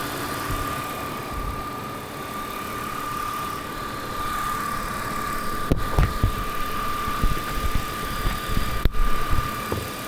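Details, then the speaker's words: BMW E46 M52TU idling after DISA valve replacement: smooth, even idle with a steady faint whistle and no misses or hunting; knocks near the end are handling; normal idle. "เราสามารถติดเครื่องแล้วก็ลองถอดปลั๊กได้นะครับเพื่อทดสอบดูว่ามันยังใช้งานได้อยู่หรือเปล่านะครับ"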